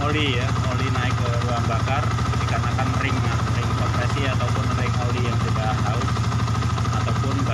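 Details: Yamaha Vixion fuel-injected motorcycle that had been stalling, after scanner diagnosis and spark plug fitted: single-cylinder thump at steady fast idle, even with no misses; bike now starts and runs cleanly.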